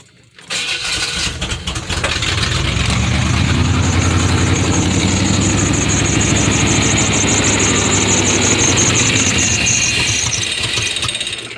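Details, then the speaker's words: Chevy Silverado (88–98 generation) restarted: catches, then loping, hunting idle that never steadies; owner suspects timing or the new distributor with loose cap rather than vacuum leak; cause unconfirmed. "Well, someone actually said that this thing might be out of time a little bit. So if that's what it sounds like, please let me know in the comment section below,"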